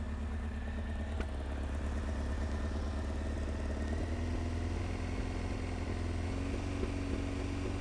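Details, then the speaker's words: Honda CBR900 Fireblade SC33, warmed up, revs raised slightly to bring it onto main jet: lumpy, uneven four-cylinder note with carburettors badly out of balance on all cylinders, previously running on three cylinders. "if you come around here you see the car balance is absolutely miles out they're miles out on all of them"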